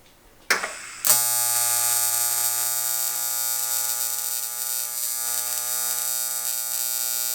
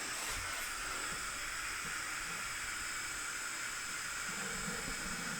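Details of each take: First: AC TIG welding aluminum: a loud, steady buzzing crackle without sputtering or popping; a stable AC arc, normal for aluminum. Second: TIG welding aluminium on DC instead of AC: steady smooth hiss with high whistle and no AC buzz; DC and AC differ greatly in loudness, and aluminium requires AC, so the weld was messed up.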